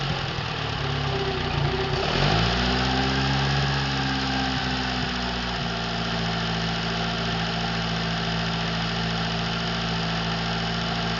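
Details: Atomic 4 inboard engine overhauled last summer (new pistons, rings, valve springs, plugs, wires, higher-flow water pump), run without choke on a test stand for a 17-foot homemade wooden boat, alternator off: quick throttle blip rises then drops to smooth, even idle, no knocks; normal idle.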